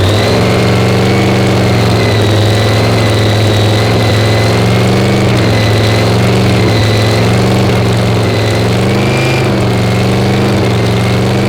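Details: Screw-blown Hemi engine, just fired up: loud, lumpy V8 idle with steady blower whine and uneven loping beat; sounds off-tune, timing still needs adjusting.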